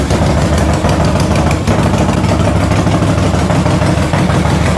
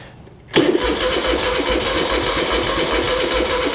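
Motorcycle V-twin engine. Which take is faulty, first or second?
second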